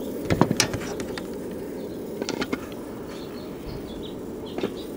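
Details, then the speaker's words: 1969 RCA KCS178A black-and-white portable tube television, rescued from a desert dump, powered up while checking voltages: sharp irregular snaps and crackles over a steady low hum as something arcs inside once high voltage appears. "check a few voltages I want to see if there's high voltage start with that oh there's high voltage and then something started arcing"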